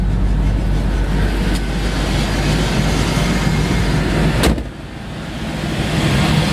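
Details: 1989 Ford Thunderbird idling after fuel pump replacement (old pump squealed): steady low engine hum, even unbroken idle, no squeal or miss; running smoothly.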